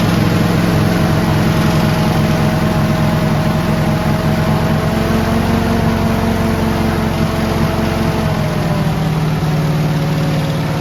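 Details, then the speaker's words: 1950s Jeep (Little Joe) that had sat 38 years, running on its own on jack stands after revival; old four-cylinder with slightly uneven low chuffing, revs easing down; normal running, no heavy smoke. "oh yeah look at that hands off she's running before you take I'll wait around on the highway yeah right right on that sounds really good"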